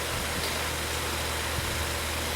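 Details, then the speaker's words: Vintage 12-inch Windmere oscillating fan: loud steady rushing roar with a rough low drone and no speed change. The motor bearings are running dry and it definitely needs oil. Blades may need tightening, grille tension is suspected, and the oscillator turns but doesn't oscillate. "so something's a little bit messed up on this now more maybe more than a little bit I know that the uh Grille your tensions a little bit yeah because it shouldn't make that noise"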